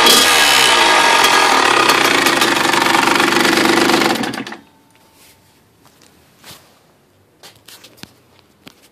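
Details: Freshly rebuilt Kawasaki KX100 two-stroke running crisply for about four seconds with a steady rapid tick over it, then cut off. The owner suspects the power valve, unconfirmed.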